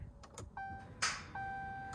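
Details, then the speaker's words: Dodge Charger R/T won't start: several sharp clicks alongside a dash chime when trying to start, electrics come on but the engine never cranks. "you guys hear that it's just making a bunch of like click sound whenever I trying to start the car up"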